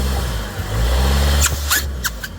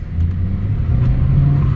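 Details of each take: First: 2014 Ford Escape turbo, about 9 years old, in drive held on the brake: deep engine rumble under load, then sharp airy hiss bursts with each throttle blip and no boost; leaking charge pipe, split at the bottom hose elbow. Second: 2014 Ford Escape turbo, driving under light throttle: deep steady drone pulling cleanly, no hiss, flutter or misfire; sounds healthy here, though a charge pipe leak at the lower hose elbow causing no boost was found.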